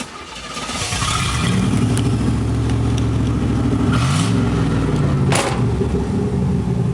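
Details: 1986 Chevrolet Camaro IROC-Z, exhaust pipe broken where the Y-pipe forks (failed while pulling away from an intersection): loud, raw, blatting exhaust roar from start-up through idle, rasping harder on throttle blips; exhaust leak ahead of the mufflers, to be welded.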